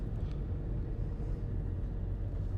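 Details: Fiat Doblo 2019 diesel (1.6 titled; also called 1.9, shared with Combo/Insignia) after fixing a turbo with a hole, under acceleration on the road: deep, even rumble pulling strongly, no whistle, flutter or hiss; boost reached target, turbo healthy.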